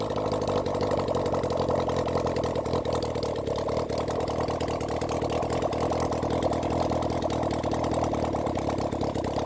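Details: Honda CB400 Four engine on a bench run after reassembly and tappet setting, started with the choke closed after earlier carb flooding: even, busy four-cylinder idle with a steady rapid patter, no misses or knocks; sounds good before carb balancing.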